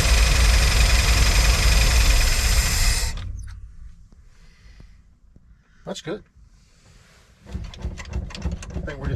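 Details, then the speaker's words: 1975 Dodge Holiday Rambler Class C motorhome, low-mileage V8, sat about 20 years, fuel poured down carb: catches and rumbles roughly about three seconds then stalls; out of fuel, no fuel delivered, gauge not moving. "just out of fuel that's how it is we're just out of fuel"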